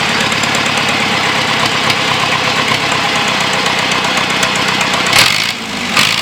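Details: John Deere 2640 diesel tractor being revived, on a new battery: loud open-exhaust firing, steady, with a busy even clatter and no misses. Normal running.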